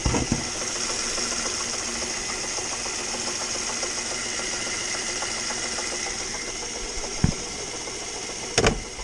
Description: knocking noise, coming from the engine bay. mazda 3 2011 2.0l. turns out its coming from the air conditioning compressor.